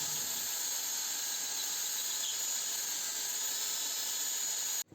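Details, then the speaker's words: Chevrolet Aveo alternator that was not charging, rebuilt with adapted, filed and re-soldered brushes and reinstalled, then restarted showing 14.5 V: even, steady high whirr with a smooth hiss and no grinding or rattle; the alternator runs normally. "тепер ставимо кришку генератор на машину поставили зараз бачимо 12,5 вль Ідемо запускати перевіряємо ще раз"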